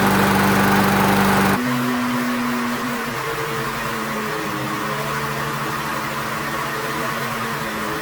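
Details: Older, restored Weed Eater mower with a Briggs and Stratton engine, after fixing a no-spark issue: a high, steady racing pitch, running too high on RPM, stepping down twice as the speed is adjusted lower via the governor spring or screw.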